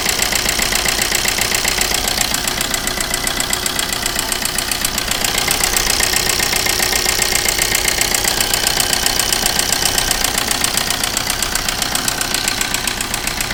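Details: Maruti Suzuki Ritz with an engine noise problem. Sharp, steady knocking about four times a second rides over the idle, loud and regular; abnormal internal engine knock, cause unclear.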